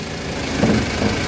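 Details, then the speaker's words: Ford Transit V184 idling while the steering wheel is turned, with two brief dull crackles from the left side caused by a broken front coil spring. "Bekle beni dünyayı kırılmış arada amasör yayı kırılmış arkadaşlar sonra yap yap yap"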